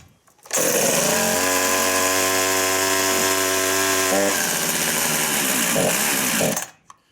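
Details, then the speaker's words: Husqvarna 353 two-stroke chainsaw after a new carburetor (C3-EL18), spark plug, fuel line and filter: it idles steadily but slightly too slow, so the low idle screw needs adjusting. "so we can tell that the Idol is slightly too low and I'm gonna have to lean out the low idle screw"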